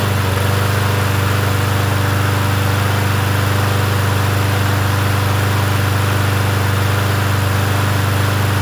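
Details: Yard Machines 21-inch push mower, 163cc engine, in cool 50s weather: steady, even small-engine drone at constant speed with no misses, surging or hunting; running smoothly.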